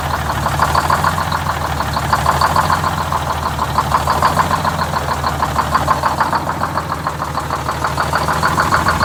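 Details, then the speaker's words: Detroit Diesel 6-71 in a vintage GM 4104 bus at idle while the governor buffer is adjusted. Deep diesel idle with a faint, loosely regular beat about every two seconds. Slightly uneven idle. "I'm gonna do a little governor buffer adjustment here just to smooth it out just a little bit"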